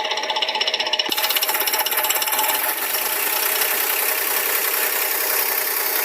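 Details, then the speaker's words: Engine at operating temperature, idling; fast light even tick about four per second from the top of the left valve cover, which disappears when accelerated and returns off throttle; valvetrain tick, cause still unknown. "Este es el sonido y viene de aquí arriba de la tapa de la tapa válvula del lado izquierdo fíjate qué pasa cuando se acelera un poco"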